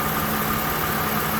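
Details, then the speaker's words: 2007 Toyota Avalon V6 3.5L petrol idling smoothly after replacing spark plugs and extracting a broken coil boot: no vacuum leaks, knocks, skipping or misfire, no check engine light. "It is running. Everything is all set. No vacuum leaks, no knocks, no skipping, no missing. Sounds good."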